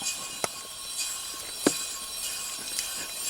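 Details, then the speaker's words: 2004 Ford F-150 2WD 4.6 V8 after new front wheel bearing and brake rotor: hub spun by hand turns quietly with no growl or grind, just faint brake pad scrape; bearing healthy after repair. "there's no noise now and everything looks okay to me"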